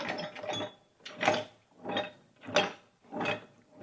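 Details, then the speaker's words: Failed shop air compressor pump (rods, pistons, crankshaft) run without maintenance, now torn down. The crank is turned slowly by hand, giving a rough, gritty scrape about every 1.3 seconds; it oozes a slurry that was probably once oil. Damaged crank bearings. "see now it turns all the way over all we had to do is pull the Piston up and everything's fine now"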